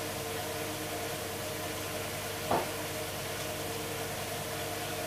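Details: Hoover Dynamic DXCC69IB3 BK 9 kg 1600 rpm washing machine on final spin cycle, drum reaching full speed: steady quiet low hum with soft water swish, no knocking, rumbling or grinding; normal spin cycle.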